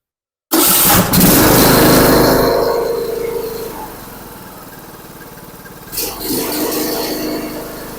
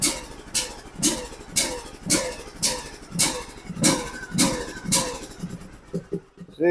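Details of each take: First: John Deere LA125 riding mower, after replacing the cracked, flooding carburetor, still on the old plug: fires up and runs steady and even with a clean throttle blip; the old plug may be fouled. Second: John Deere LA125 riding mower, Briggs & Stratton 21 hp, ran very rich with black smoke then wouldn't start, now on a new battery: harsh rasping bursts over a lumpy, choked-sounding idle at low throttle; grinding noise, source unknown.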